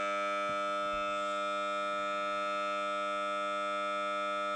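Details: Samsung Galaxy Note 9 loudspeaker during playback: a steady, harsh, multi-tone siren-like buzz without pause; the spurious noise occurs randomly and stops only after a phone reboot, cause unknown.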